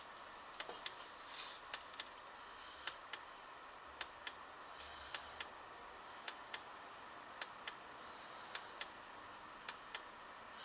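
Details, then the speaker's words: Chinese diesel heater on a homemade controller, first test: quiet, sharp ticks about every two seconds. The dosing pump keeps pulsing with very long on-pulses after it should stop. The thermostat range is thought to need adjusting. "you can hear that very long on pulses which is not what we were looking for yeah I need to adjust the um thermostat range so it switches off before now still pumping pumping [ __ ] up"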